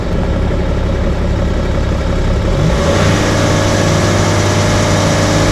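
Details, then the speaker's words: 2009 BMW 330d E90 with N57 straight-six diesel, after fuel filter replacement, during scanner-commanded fuel system bleeding: idle speed raised for rail pressure control, steady fast-idle diesel clatter; owner unsure why it revs high, but it is the commanded step. "Vehicle's revving quite high right now. Don't quite know why it's doing this."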